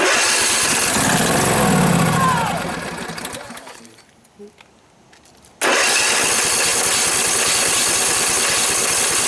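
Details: 2012 Husqvarna riding mower, flood survivor with mud on the carburetor, primed with a dribble of gas: engine catches and runs rough a couple of seconds, then rpm sags and it stalls. Owner suspects water in the carburetor float bowl and plans to drain it.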